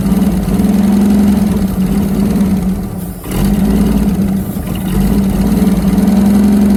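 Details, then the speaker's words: Holden FC grey motor six, first start in 50 years, points and plugs unchecked, oil pressure present: runs on its own at a lumpy, uneven idle, dipping then picking up, steady low drone, firing on all six cylinders. "that's full six cylinders AI yeah it sounds good bit"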